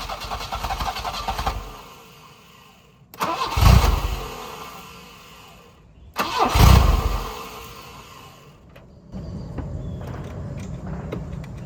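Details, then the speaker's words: 1984 Volvo 244 GL pulled from the woods, converted from fuel injection to a carburetor, temporary exhaust: two cranking bursts catch briefly, then fade within a second or two after the starter is released; owner suspects starter grounding or bad wiring. "It seems like it's grounding out through the starter, maybe. Because when I let off the starter, it shuts off. Where if I keep the starter running, it'll run."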